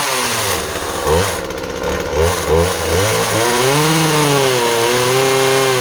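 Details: Project chainsaw, a Husqvarna 136 or Skil 1644, cutting small softwood: two-stroke pulls down smoothly into the cut and recovers with even firing; cuts clean, though it may lean out slightly at the end and the carb likely needs going through.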